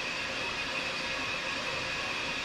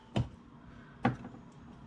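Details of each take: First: 2005 36V EZGO PDS golf cart with Navitas TSX 3.0 600A controller and HD solenoid, in reverse at wide-open 1700 RPM (forward barely works): steady high motor whine that drops as the pedal lifts; normal drive motor run in reverse. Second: 2005 36V EZGO PDS cart with Navitas TSX 3.0 600A controller and HD solenoid, pedal pressed in forward: two sharp clicks with no motor drive. Reverse works; app loses communication; motor suspected, not confirmed.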